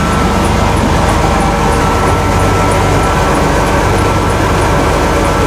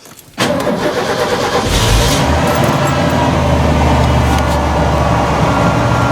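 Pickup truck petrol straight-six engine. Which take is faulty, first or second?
first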